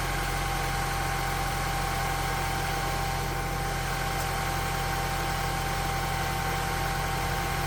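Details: 1998–2002 Honda Accord four-cylinder after head gasket replacement: smooth, even hum with a steady low pulse and no knocks or misses, settling into a clean, healthy idle.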